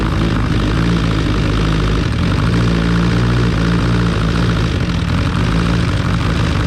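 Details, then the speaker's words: Freshly rebuilt Kawasaki 636 engine just installed, first running; loud steady high-revving drone with slightly uneven throb, sputtering on two cylinders, kinks still to work out: rough running. "feel like we need some to bottle action because when he when he goes over on those two it seems to do a little sputter"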